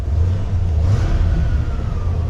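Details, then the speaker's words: White van, cold engine idling at about 40°F outdoors: brief thin whistle sliding down in pitch over the idle rumble. Owner suspects an idler pulley or the idle air control valve, both faulty at some point and similar-sounding. "Either one of our idler pulleys or the, what's it called? Idle air control. Both of those are screwy on this at one point, and they both make a very similar sound."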